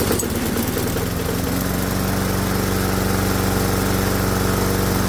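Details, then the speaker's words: Modified hot-bulb semi-diesel lawnmower single, warmed up, running on pure diesel with stack removed and a normal spark plug fitted; steady even putter, runs smoothly. "Hell yeah, it runs a lot better with the spark plug. So yes, a gasoline engine will run on diesel fuel with a normal spark plug, but the engine has to be hot for it to start."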